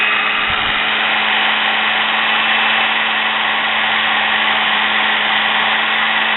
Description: Fixing and cleaning brushes in sewing machine motor After running for awhile the brushes seated better and sparked Less Also a small amount of Sparks are normal same as in a drill Etc .